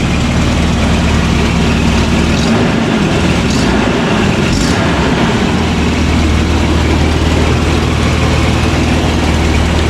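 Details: Toyota RA40 with 22RE engine, cold, after cold start injector wiring fix: steady, even low rumble with no misses or stumbles, loud ticking from known exhaust leak. Normal smooth idle.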